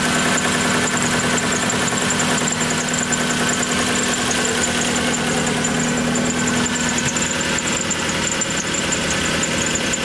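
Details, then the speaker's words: 1997 Lexus SC400 (Soarer), 1UZ V8 barn find needing a full tune-up, recorded at the tailpipe: uneven idle with irregular stumble and pops about twice a second over a rough hum, misfire without check engine light, smoke seen. Engine misfire at idle. "bring them to the tailpipe so they can hear the misfire"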